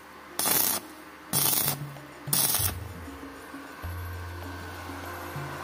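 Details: Wildcraft 120i MMA inverter welder after repairing a no-arc fault and reassembling, tested at full current: three short bursts of steady crackling arc hiss with no sputtering; welding normally again.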